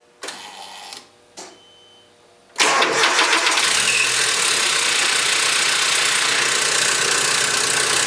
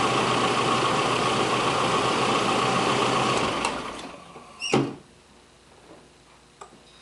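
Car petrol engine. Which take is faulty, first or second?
first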